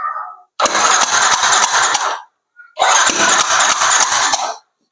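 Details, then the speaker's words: Yamaha NMAX scooter that stutters and lacks power accelerating from low to mid rpm: spark plug removed, hole covered, two cranking bursts with sharp even air puffs showing strong compression, so fault likely not compression. "dari suara yang kita dengar itu dapat ee ledakan atau kompresi yang masih sangat padat ya artinya besar kemungkinan bahwa kerusak akan tidak pada kompresi"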